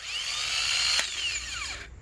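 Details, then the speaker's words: Remanufactured replacement starter for a 1998 Lexus LX470, about 250,000 miles, bench-tested off the engine on a low battery by jumping the signal tab: sharp click as plunger extends, then clean high whine winding down, no grinding; normal engagement and spin. "see that how the plunger comes out i mean this everybody knows this but just to show you what it looks like and what it should sound like hopefully this is this motor is in good shape"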